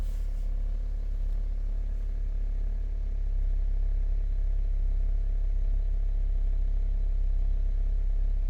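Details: Hummer H3 after diagnosing a P0300 misfire code and installing junkyard parts: smooth, constant low rumble with no skips or uneven pulses over several seconds; healthy idle, no misfire heard.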